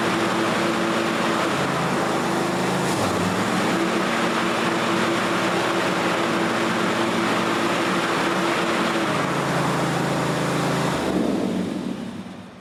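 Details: John Deere GX255 mower after deck rebuild with new pulleys and belts: steady engine drone, pitch shifts smoothly as blades engage, no squeal or knock; normal running with blades engaged.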